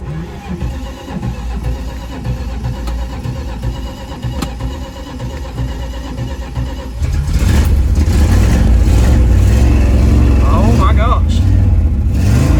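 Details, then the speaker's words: 1973 Dodge Dart Swinger, sat over a decade, after battery charging: even cranking chug, catches at about seven seconds and settles into a steady, smooth idle holding on its own; normal idle. "damn this holding idle on its own all right just holding idle on its own"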